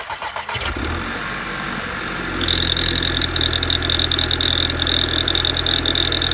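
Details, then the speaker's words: 2012 VW GTI, around 70,000 miles, cold start: engine catches and idles with a thin, high, steady screech that goes away once warm; owner suspected PCV valve or a leak, but it sounds metallic rather than a PCV squeal. "I have this screeching squeaking noise when I start the car from a cold start then it goes away but after driving for a while"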